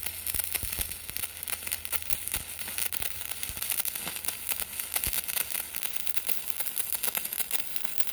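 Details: PrimeWeld CT520D stick welding, turned up from 120 to 140 amps because the arc seemed too quiet: soft, even crackle and sizzle with no harsh buzz; a smooth, quiet stick weld running normally.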